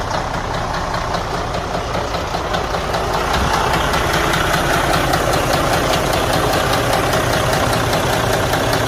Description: IN THIS CASE, THIS DD13 ENGINE WAS HAVING A VERY LOW KNOCKING SOUND FROM IN THE INTERIOR OF THE ENGINE.